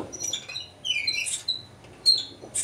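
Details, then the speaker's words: Swardman Electra 2.0 electric reel mower drive roller with differential, lifted and turning; sharp high chirping squeaks in short bursts with no engine noise; dry squeaking drive roller differential. Squeak when turning. "du hört das schon wenn ich drehe genau ich brauche nur zu wenden"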